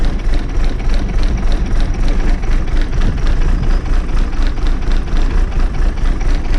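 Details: Diesel bus engine after fuel pipe moved the previous week, start without easy-start: even clatter at about four beats a second, steady without misses or hunting; idling normally.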